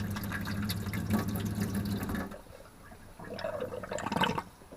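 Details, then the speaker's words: Motorhome water system after resealing the pump filter's O-ring with gasket goo to stop air being sucked in: small pump hums steadily, tap flows smoothly with no spluttering; the filter was the cause. "no problem at all so it's the filter"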